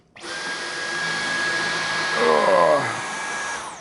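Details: Dyson V11 cordless stick vacuum on its first use in boost mode: a steady high motor whine with even airflow rush that deepens briefly as the head suction-cups down onto the floor. This is normal running.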